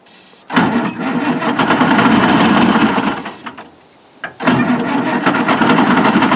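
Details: Pettibone Mercury forklift with a Detroit diesel, abandoned for years: steady cranking beat that stops, then cranks again without catching. The jump pack seems weak and not turning it fast; a fuel filter may be needed, not confirmed.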